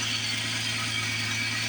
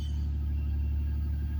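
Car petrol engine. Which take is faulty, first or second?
first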